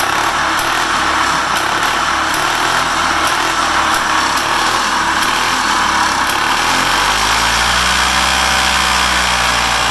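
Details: Oil-injected two-stroke engine after a new head and base gasket, with some mixed gas added to the tank: it starts and runs with a steady, even buzz and settles to a smooth idle. Normal running.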